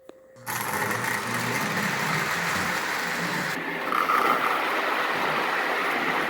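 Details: Lionel gunmetal 1666E locomotive with heavy whistle tender, run alongside an older loco pulling passenger cars: steady even electric whir with light rhythmic track clatter; both run smoothly.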